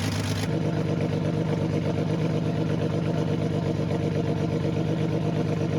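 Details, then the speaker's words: 1980 Datsun 280ZX 2+2, one-owner, about 300,000 miles, non-running until a fuel pump relay was replaced, idling: quick, fairly even puffing tick over the inline-six rumble, a slight exhaust leak. "as you can hear it has a slight exhaust leak"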